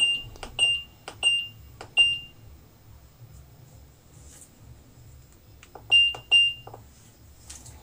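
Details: IFB fully automatic top-load washing machine with 8 programs, powered on after installation while programs are selected. Run of short, high, clean beeps, a pause, then more; the control panel responds normally.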